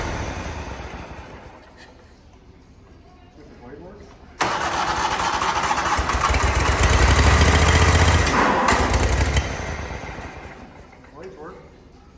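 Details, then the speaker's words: Toro Wheel Horse mower with power steering: starter whirring continuously together with the engine's steady putter about four a second; runs only while the key is held. Owner suspects a safety interlock. "So, one key thing to note is it stays running if you hold the key. So, the starter is continuously running."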